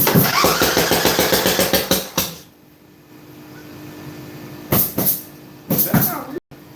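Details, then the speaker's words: Craftsman LTX1000 riding mower, first start after a bad fuel line was replaced. Cranks evenly for two seconds, barely catches, then dies, a rough failed start; owner suspects a blown head gasket or a bad exhaust leak. "That didn't sound good. I do believe we got a blown head gasket."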